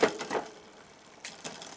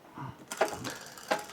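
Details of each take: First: Neglected Specialized Rockhopper mountain bike during rebuild, rear shifted to top cog, cranks turned: a few sharp clicks, then faint irregular light tapping from the chain brushing the front derailleur; to be fixed by adjusting the front derailleur. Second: Specialized Rockhopper mountain bike after front derailleur adjustment and added rear cable tension: single crisp click as the chain drops onto the next cog, then quiet running without tapping; normal gear shift.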